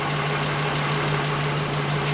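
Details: Mk1 Golf VR6 first started after fitting the correct starter, draining old fuel and reconnecting the brake booster line, now up to temperature: a steady, even idle with a smooth low hum and no knocks, misses or ticks; normal.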